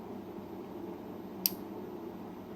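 A single sharp click midway through a quiet hum as the relay pulls in; crisp and firm, a healthy relay.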